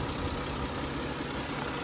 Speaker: so here we are so quiet runs great Interstate Battery cranks right up battery tested good in the inspection